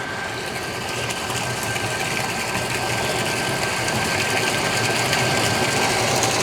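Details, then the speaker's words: Texmo Aquatex 0.5 HP centrifugal monoblock pump HCS430 at 10 to 15 m head, drawing 3.6 A: even motor hum with steady rushing flow and a faint fixed tone, building slightly as load rises; healthy. "ഏകദേശം ഒരു 10നും 15നും ഇടയ്ക്കാണ് നമ്മൾ load കൊടുത്തേക്കുന്നത്. 3.6 ആണ് ഇപ്പോഴത്തെ current consumption വരുന്നത്."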